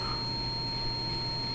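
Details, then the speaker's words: Multimeter on continuity setting probing the orange wire of an XYZ da Vinci 3D printer's X-axis stepper motor harness, whose bad wiring caused shaking and shuddering: steady high beep showing the wire connects end to end. "and then I can hear that it's you know beeping so I know that made a connection"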